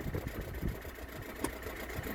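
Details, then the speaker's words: Peugeot 206 1.4 HDi diesel just started on a very cold day, engine cold: steady low idle with even, slightly rough clatter and no knocks or misses; cold changes the sound but it idles healthy. "Voilà, froid la cocotte. Hein. Bah oui. C'est-à-dire qu'aujourd'hui ça caille. Ça change le bruit de la 300."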